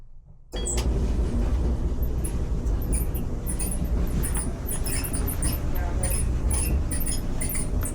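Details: Kenmore/Whirlpool dryer: the drum rumbles heavily while high, shrill screeching squeaks chirp in rapid bursts; the noise was isolated to a worn idler pulley, which was replaced.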